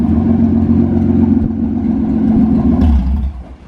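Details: V6-swapped Toyota MR2 on its first drive under its own power, engine still a bit cold, no muffler fitted: loud raw exhaust roar pulling smoothly through a short rev with even firing beat, "sounds like a race car, so meaty"; healthy V6, no issues yet.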